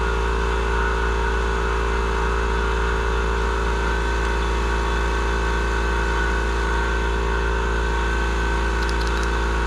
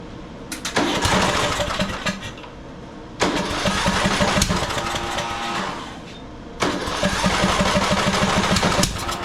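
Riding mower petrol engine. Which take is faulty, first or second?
second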